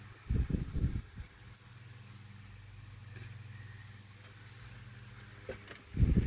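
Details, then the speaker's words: 1988-89 Lasko 9" desk fan model 2154 on high, after the oscillation gearbox was modified: steady hum with an even airflow rush and no surging between a couple of knocks. Airflow is now consistent and smooth. "And apart from the improved oscillation, the airflow is actually much more consistent now. There is no drastic changes in airflow now that, of course, the fan is running much smoother."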